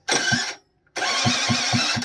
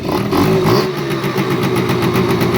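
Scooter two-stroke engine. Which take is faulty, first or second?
first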